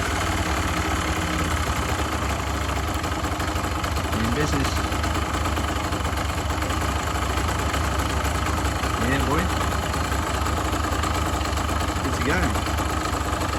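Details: Kawasaki KMX 125 two-stroke motorbike after a flat battery was replaced, before its MOT. A crisp, rapid burble holds steady at idle with a few brief throttle blips, running evenly; a normal two-stroke idle.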